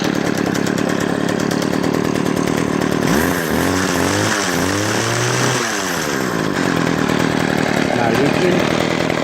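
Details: String trimmer two-stroke after its damaged fuel lines were replaced with universal lines: the buzz holds steady, then a few clean blips rise and fall. It picks up crisply and runs healthy.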